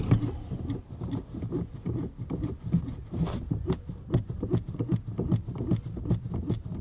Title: Pedal pumping truck with a bad fuel pump.